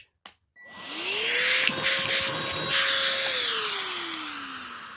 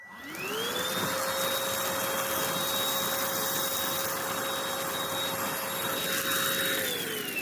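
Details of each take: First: Oraimo H3 handheld vacuum with no attachment, picking up dog food: motor whine climbs, holds, then sags and drops in pitch as oversized pieces clog the inlet and airflow chokes. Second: Oraimo H3 handheld vacuum, all filters in, battery fully charged, large opening without attachments, picking up rice: motor whine climbs quickly to a steady high pitch and holds smoothly, then winds down; normal unobstructed suction, no clog.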